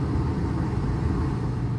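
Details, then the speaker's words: Mr. Heater 50,000 BTU MHU50 garage furnace after reflow-soldering loose control board terminals that caused total power loss: starts and runs with a steady, even low roar, no cycling, clicks or stutter; working normally. "Success! It sounds like it's about to start. There we go. A little bit of reflow solder, and I think we fixed this board."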